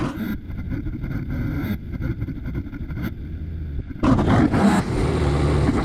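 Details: 1998 XL760 jetski restarted after carburetor teardown. It earlier kept running with the fuel shut off and plug wires removed. A rough burble bursts into a sudden wide-open howl and keeps racing on its own: an uncommanded full-throttle runaway.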